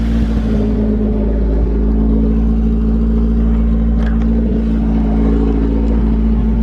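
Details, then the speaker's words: Toyota AE86 after a startup, smooth and responsive but idling a little high with a steady, even hum and no knocks; the owner plans to turn down the idle screw, thought to be on the throttle body. "Still idles a little high. I talked to the 86 guru and he said that I just have to adjust the idling screw, so that'll be a lot better after I do that."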